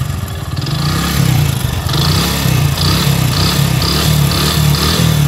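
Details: Hero HF Deluxe single-cylinder motorcycle, about 80,000 km (meter reads 43,000), revved before an engine rebuild; heavy, deep knock louder under throttle, with some piston noise too; crankshaft bearing knock.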